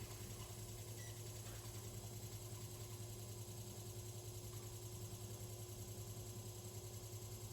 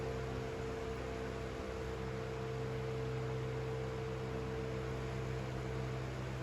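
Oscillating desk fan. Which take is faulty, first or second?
first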